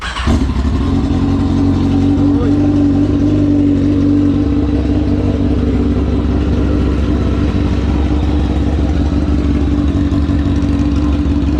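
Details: Kawasaki ZX-10R drag bike's first start after three years in storage, fuel pump rebuilt and tank cleaned: fires at once and holds a steady even drone with a slight early blip, no misfire or rattle; normal running.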